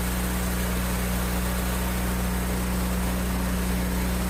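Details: Generac GP5500 generator, sat several years without starting, after new carburetor kit, air filter, fuel line, spark plug, fuel valve and fresh fuel: low constant drone at fixed speed, smooth pulse, no surging or misfires; runs normally.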